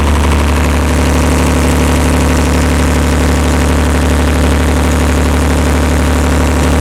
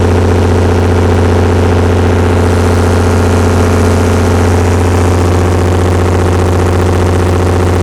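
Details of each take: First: Perkins 354-series diesel on a 45 kW Empire generator, just started cold after injection pump reinstall: steady even clatter and deep drone at about 50 Hz, no misses or knocks; making voltage, oil pressure fine, normal idle. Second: Perkins 354-series six-cylinder diesel, 45 kW Empire generator, after injection pump reinstall: deep even drone sags as about 23 kW load comes on, dropping two hertz; governor droop persists though the engine now runs smooth.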